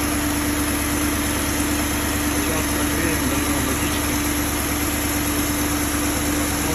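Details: Fully warm BMW M62B35 V8 after VANOS units were reinstalled with corrected timing to cure a knock from earlier wrong fitting: ticks over evenly with a smooth steady hum, no timing-end rattle; healthy idle.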